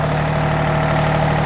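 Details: John Deere 855 diesel tractor, barn rescue, started and running properly: it settles into a steady, even low idle with a smooth hum and no knocks or misses, a normal idle.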